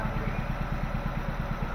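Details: Nissan Grand Livina petrol engine idling with a lumpy, uneven low chuff. Misfire from a leaking ignition coil, found by unplugging coils one at a time.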